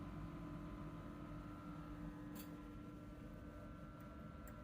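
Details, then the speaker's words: Bio-Rad C1000 thermal cycler main PCB, power supply with PFC powered on drawing about 40 W: steady low buzz with thin higher tones over fan-like rush; board making odd sound, cause unknown. "oh look at that that is interesting and we're getting a very odd signal from the or sound I mean from the board"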